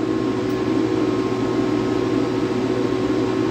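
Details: Air-cooled dual 2.7 GHz Power Mac G5 whose CPU may have been wet, booting into ASD: loud, steady rushing fan whoosh with a constant hum and no speed changes, fans at full speed; suspected logic board fault, since only CPU0 is detected.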